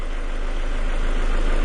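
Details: 2000 Ford Escort with a diagnosed lean condition: low, steady idle rumble with no stumble, dip or hunting; O2 sensors oscillating normally; smooth, even idle.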